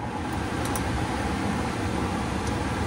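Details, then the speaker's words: Trane furnace after replacing a bad blower motor (previously loud buzzing/humming and burning smell), newly wired motor running before calling for heat: steady even airy rush with low hum, no knocks or squeals; normal blower operation. "all right so she's running we're going to go ahead and call for heat make sure that works and then uh yeah we'll go from there"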